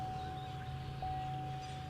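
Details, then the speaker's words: 2022 Chevy Silverado 2500HD diesel after fuel filter change, key cycled on: steady even mid-pitched hum of the electric lift pump priming for about four seconds, then off; normal priming, truck then started. "And the pump is off. Runs for probably, what, 4 seconds?"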